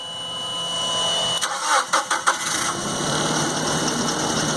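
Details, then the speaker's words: Nissan after code E-24 accelerator sensor fix (codes cleared): starter churns in short bursts, engine catches cleanly and settles into steady even idle with no misses; code gone, repair confirmed. "Code is not there anymore. Got a good response from the engine. Alright, I would call this one a fix."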